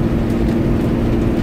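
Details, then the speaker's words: Cummins ISB diesel on a road test of its exhaust/engine brake, worked by the VGT turbo. Slowing to 16 km/h in city traffic without touching the service brake. Steady, deep, even rumble, no surging or rattle. Exhaust brake working properly. "so yeah that's working great I haven't touched a break yeah I don't have to so it's coming down the 16 kilometer an hour traffic so that is a perfectly running"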